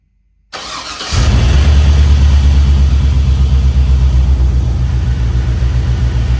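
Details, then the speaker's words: 1967 Chevy C10 with LS swap, plugged injectors from dirty fuel, after forgotten injector plugs on one bank were reconnected: starts promptly into a deep, smooth, even idle; all eight cylinders firing instead of four. "So, instead of four cylinders, that's running on all eight."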